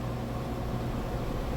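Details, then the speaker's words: GE 2.8 cu ft top-load washer, test load with a capful of bleach: smooth steady low rumble with no thumping or banging; spinning quick and balanced. "being balanced. It's spinning pretty quick. All right, we're on that final spin cycle."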